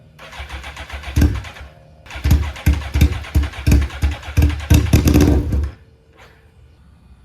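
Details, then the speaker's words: Suzuki GSX-R1000 wreck rebuild, sat for years: uneven, lumpy pops at irregular intervals with surging revs, then dies, as if running on one or two cylinders; owner suspects clogged injectors; rough running, misfire. "It sounds like it's running on a cylinder or two. U barely running."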